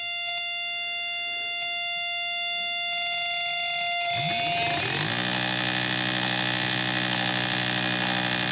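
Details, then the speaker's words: Miller 180K welder field current regulator board on 18 V AC via variac, driving a motor as a test load at about 1.2 A PWM: high switching whine, then a rising hum settling to a wavering tone; speed unsteady since the motor needs high startup current. "yeah it's a little bit of a bad load because it needs so much startup current to start moving we're running it right now - but 1.2 amps and you can see that it's all over the place"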